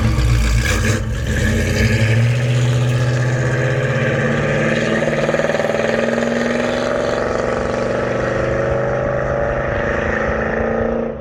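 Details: 1972 Chevelle Malibu 383 V8 after fitting Doug's 1 5/8 x 3" headers and Flowmaster 2.5" H-pipe exhaust, pulling away and cruising: deep, loud rumble with choppy pulse; louder inside and out, deeper tone, more chop; healthy throaty exhaust note.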